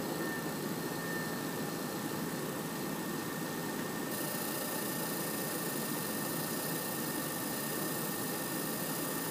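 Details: PS4 CUH-1216A (C-chassis) running Witcher 3 digital, horizontal on media center 15 cm from back wall, peak about 63 dB: steady loud rushing air with thin high whistle; fan spinning hard under load.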